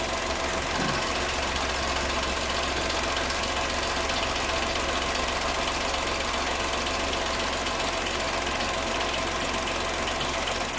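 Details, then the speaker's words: GM turbo engine (Onix, Tracker, Cruze) idling: steady fast light ticking from the vacuum pump feeding the brake servo, getting busier as the brake is pressed; normal vacuum pump noise that never goes away. "quando você pisa no freio porque aqui tem uma bomba de vácuo essa bomba de vácuo já tá localizada aqui ó essa peça aqui ó essa aqui é uma bomba de vácuo tá ligado diretamente ali no servo freio por isso que você pisa né no freio o barulho aumenta"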